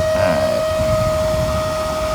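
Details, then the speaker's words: RV refrigerator cooling fan in a slide-out with side vent and poor airflow, original fan before replacement, run after heating with a heat gun: loud steady humming whine with a constant high tone; still loud even when lifted, noisy fan. "I can lift it up it does get quieter but it's still really loud and when you're sitting out of the campsite and this comes on it's somewhat annoying"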